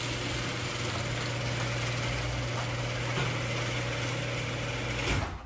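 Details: Garage door opener controlled by a Wyze smart garage controller, closing after warning beeps: steady even motor hum with a smooth low drone for about five seconds, then stops cleanly; normal operation.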